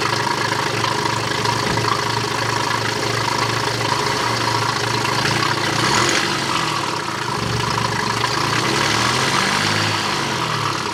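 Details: BMW with a low oil pressure warning problem, with the crankshaft pulley, drive belt, intake pipe, airbox and mass airflow sensor refitted: engine catches and settles into a steady, even idle with a constant low hum and no knocks or belt noise. Running normally.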